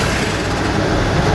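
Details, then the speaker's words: 26 mm rotary hammer after repair (carbon brushes, switch replaced, full service), final test drilling into wood in hammer mode: fast, even hammering chatter at steady loudness with no misses, stalls or labouring; operating normally. "ये मैंने लकड़ी ले ली इस पे हम इसका testing करेंगे और आवाज की सबसे पहले मैं मेंबर में इसे टेस्ट करता हूं।"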